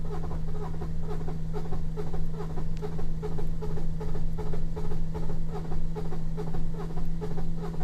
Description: No compression on cylinders 5 and 6 = engine broken.